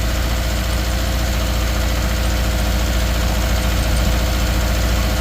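Lumpy idle with an uneven, stumbling beat about three to four pulses a second, typical of a cylinder dropping out.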